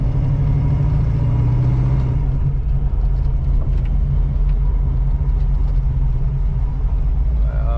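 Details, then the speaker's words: 1985 Oldsmobile Cutlass Supreme with a brand-new carburetor, idling while driving on a test drive: a deep, steady, even V8 rumble with no misses or stumbles, a smooth, healthy idle. "Oh yes, I can hear the idle. It sounds so good. So I'm on idle right now."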